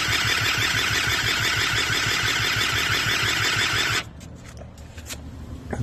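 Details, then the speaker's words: Eaton Beamer III scooter during rebuild, choke on, ignition coil lead suspected damaged: steady chuffing crank for four seconds, never firing; owner suspects a bad ignition cord connection needing replacement. "well you know what I have to be honest with you guys there is something seriously wrong with this um um uh ignition cord here"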